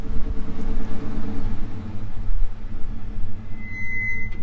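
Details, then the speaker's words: Truck with brand-new brakes rolling to a stop: low rumble, then a sharp, high squeal for about half a second at the end, happening at every stop. Cause unknown. Brake squeal when stopping. "so it's doing it pretty bad now. Every time I stop, watch, hopefully you guys can hear it right now."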